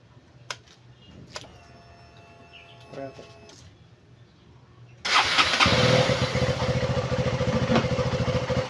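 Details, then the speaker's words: KTM Duke 200 after replacing leaking fuel pump hose: after handling clicks it fires and settles into a quick, even single-cylinder idle, no longer dying after 3–5 seconds; normal idle, stalling fixed. "so Ayan na po umandar na po siya normal na po yung kanyang andar"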